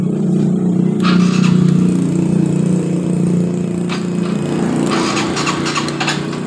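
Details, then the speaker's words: Honda Revo FI motorcycle with hard starting, hesitation and high fuel use, after the fuel pump fix raised pressure from zero to 42 psi: engine fires at once and settles into an even, steady idle. "normal ya teman-teman motor langsung hidup dengan normal"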